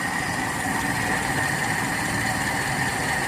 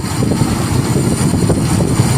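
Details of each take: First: Toyota Kijang Kapsul 7K carbureted engine, warmed until the thermostat opens, after carburetor setting: steady, even idle with smooth low rumble, no misses, knocks or surging; normal idle. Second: Toyota Kijang Kapsul 7K carburetor, early type, being tuned: engine roars on a throttle blip with small uneven stumbles, a slight miss when the slow circuit hands over to the primary.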